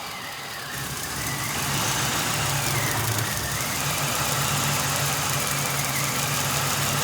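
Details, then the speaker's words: 2011 Ford Crown Victoria Police Interceptor V8, 53,000 miles, 6,135 engine hours, sat nearly 2 years, suspected bad fuel pump, fed fuel by hand: steady even idle, no knocks or misses; engine sounds healthy. "The engine sounds good. It's got low miles."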